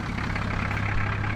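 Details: Nissan Patrol 4WD idling after a bush repair that sealed a fuel leak with a 10c coin and chewing gum: steady low diesel chug with an even beat and no misses or knocks; normal idle.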